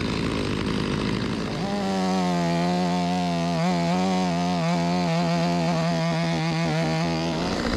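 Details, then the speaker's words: Stihl 025 chainsaw (16-inch bar), hot no-start from flooding, test run after carburetor replacement: catches after a brief crank and holds a steady, strong buzz with small speed swings, running smooth and clean; chain dull but saw rips; normal running. "It's pretty good. The chain need to be sharper, but ain't gonna win no contest, but pretty good. Rips, baby."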